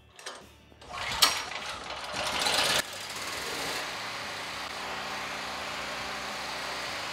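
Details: FIRMAN generator after carburetor cleaning: rough pulls and a loud catch, then from about three seconds a settled even drone with no knocks; running smoothly.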